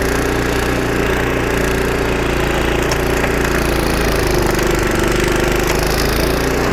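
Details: Snowblower about 25 years old, single-cylinder engine after carburetor rebuild with carb kit and new needle and seat, under load: steady drone holding speed, no surging or knocking; normal running after repair.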